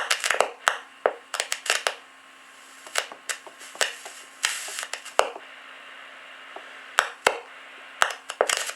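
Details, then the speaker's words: Ranger RCI 2950 radio on the bench with power on: sharp, irregular crackles and pops over a low hum, coming and going as the board near a replaced capacitor is pressed with a non-conductive tool. An intermittent connection is suspected, not confirmed. "in this area right here, there is a capacitor that I replaced, and I just want to lift up the back side, and I'll push down on the yeah, see, it's not making that noise now, see?"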